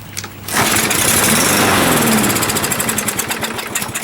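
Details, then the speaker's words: Used 21-inch Murray push mower with its air filter missing, pull-started: catches, runs rough a few seconds, then stumbles out. Owner suspects a dirty carburetor needing cleaning. "Yeah, dirty. We gotta clean that carburetor out."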